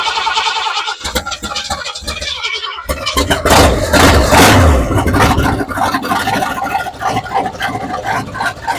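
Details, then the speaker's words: 1968 Ford F100 V8 after sitting over 5 years, new Holley carburetor, fresh battery, temporary boat fuel tank, primed: brief crank, then it catches and idles slow and lumpy near stalling; idle set too low, needs adjusting. "All right, we got to adjust the idle real quick. It's a little too low."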